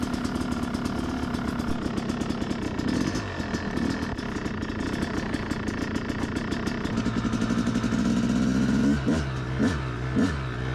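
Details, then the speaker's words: Yamaha YZ250X two-stroke after fixing its sticky power valve, started from dead cold on choke and riding: crisp buzzy note rising and falling cleanly with throttle, no bogging; runs normally, issue solved. "uh and right away i can tell that i've solved my issue and this is gonna be a great day"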